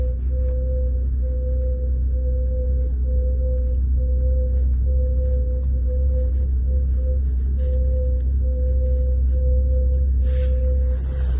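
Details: 2018 Lada Vesta driving: steady mid-pitched squeal over low road rumble, dipping at a regular rhythm as the wheels turn; foreign noise from the rear drum brakes, which recently started squeaking; cause not confirmed.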